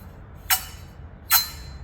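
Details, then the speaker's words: Nissan RB30 single-cam head rebuild: valve turned on its seat after lapping gives two short, sharp squeaks, showing the seat needs a little more lapping; no light visible through the seat. "hear that squeak it's a sign that needs a little bit more i can't see any light shining through there so that one's pretty good"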